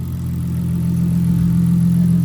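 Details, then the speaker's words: Toyota JZX100 Chaser with 2JZ engine, just started after a battery jump and before warm-up, on dyno-tune day: a smooth, steady, quiet low hum with no knocks, ticks or misses. Normal healthy idle. "Nice. No, it is. It's quiet. We'll let it warm up and then give you some revs."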